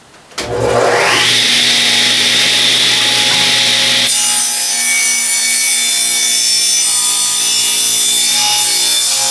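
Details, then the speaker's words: Free used table saw with a newly fitted plug, run on limited shop power: motor spins up to a steady whine, blade cuts wood with an even unlabored rasp; cut went well after an earlier bog. "Ooh, that actually cut pretty good. That cut pretty good, so see if we can get another one"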